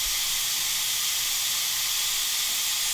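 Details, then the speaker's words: Newly plumbed shop air compressor line running through an aftercooler: constant sharp hiss with no rhythm, air escaping from a minor leak at a fitting that needs tightening. "All right, do you hear that? One minor leak right here."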